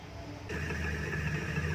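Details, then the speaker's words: Indo 230 V 50 Hz ceiling fan after fixing its noise without changing bearings: a low, steady motor hum spins up and holds smooth with no rattle or scraping; it runs quietly. "तो ये देखिए फाइनली हमारा फ़ैन जो चल चुका है, बिल्कुल सही है, कोई भी ज़्यादा वॉइस नहीं है।"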